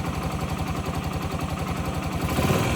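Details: 2008 Yamaha XT125R Big Wheel, stored 12–15 years, carb cleaned, new battery: small single thumping at steady, even idle, no clatter or misses; normal idle, judged mechanically nothing wrong.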